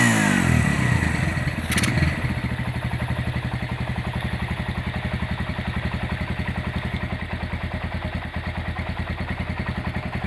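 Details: Restored Honda GL100 engine (year uncertain, possibly 2000–2002), rebuilt with Aspira GL Max Neotech piston, CDI ignition, valve clearance 0.10: even single-cylinder idle with a brief early blip, no knocks or rattles; smooth, healthy idle.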